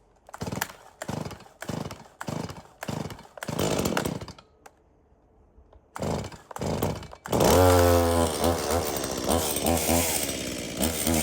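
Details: Stihl MS170 chainsaw, reported as a no-start, bought 13 months earlier and apparently unused; run on its original fuel with a full bar oil tank, outdoors. After several pull-start bursts it catches and runs steadily: it starts, runs and oils normally.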